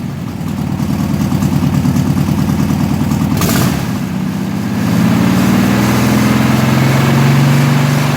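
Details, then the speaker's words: 1972 VW Classic Beetle rat trike engine with a new carburetor, fitted after the old one was ruined while cleaning suspected clogged jets: steady even chuff lifting smoothly to a slightly higher speed and holding without stumbling; normal running. "And like I said, I'll let you hear the carburetor run with the new one."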